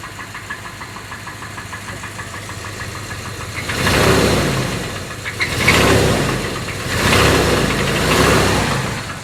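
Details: Jeep Grand Cherokee engine running with loud, uneven knocking bursts about every 1.5 seconds over the idle; engine knock, cause suspected but not confirmed.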